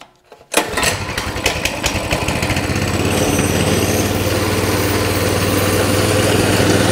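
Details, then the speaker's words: Coleman CT200 mini bike with non-adjustable carburetor idling at 2450 rpm versus spec 1700 ±150: fast, steady, buzzy idle; throttle return spring has too much tension holding it open, making the bike take off on starting. "24.50 that's idling supposed to be idling at 24.50 okay so there's your idle 2450. i don't think that's within 150 rpms of 1700"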